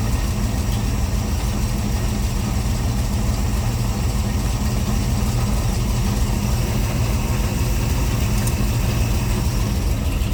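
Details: C3 Corvette carbureted V8 idling after float levels were reset toward the middle during the carb tune: deep, steady burble, even beat, no stumbles or misses; owner says it's running pretty good; normal idle.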